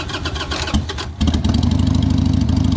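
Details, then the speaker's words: 2002 Harley-Davidson Sportster after carburetor cleaning (fuel and air jets cleared). It catches quickly and settles into an even, crisp, lumpy V-twin beat that picks up cleanly on throttle, starting much easier than before: normal start and rev. "oh that sounds nice [Music] sounds a lot better can you get first well we'll let it run for a minute then we'll see if we get further but that sounds a lot better and starting a lot easier"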